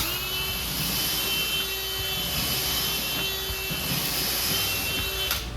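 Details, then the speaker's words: DeWalt 20V XR brushless 3-speed hammer drill in speed 3, plain drill (non-hammer) mode, drilling holes with a bit: steady high motor whine, no hammering pulses; normal operation. "We're in 3, so we're going to start in just a driver mode, so you're not going to hear any hammering."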